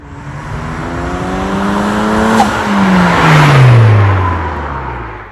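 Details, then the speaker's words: Toyota Celica GT-Four, 3S-GTE turbo engine, after fitting a thread-repaired Synapse blow-off valve, recirculated, in place of the ruined OEM bypass valve. On lift-off between shifts, only a faint quiet puff, no gobble or loud hiss; normal venting, engine felt more responsive. "the other thing i noticed this is much quieter so rather than have the the turkey gobble or sort of the loud hiss it was morally just a just a very simple quiet sound which is stealthy"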